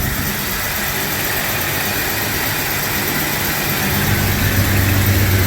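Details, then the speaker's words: 1996 Jeep Cherokee after a new timing chain and harmonic balancer, second start with the distributor turned 180 degrees: a steady, even low idle with a smooth throb, no knocking or shaking, and no check engine light. This is a normal idle. "like it's happy again yeah yeah it's learning open the door oh just kidding oh you're good no check engine light foreign"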